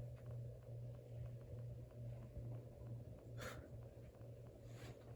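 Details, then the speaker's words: Hampton Bay Cameron II ceiling fan with canopy not yet up: loud steady low electrical motor hum with a faint buzz and light rhythmic ticking; owner suspects the open canopy or a loose blade screw, not confirmed. "Some of the hum, I guess, could be caused by the fact that the canopy's not up or anything, but it really is a lot."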